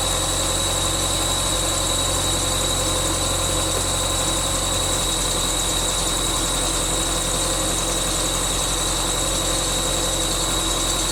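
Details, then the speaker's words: 1999 Subaru Forester S 2.5L EJ25 SOHC, first start after head gasket replacement: constant high-pitched squeal over a steady idle from the bottom pulley, which was on too tight. Belt squeal from overtightened pulley. "now there was also a squeaking noise that was coming from one of the pulleys and so that was another thing that i was trying to figure out earlier"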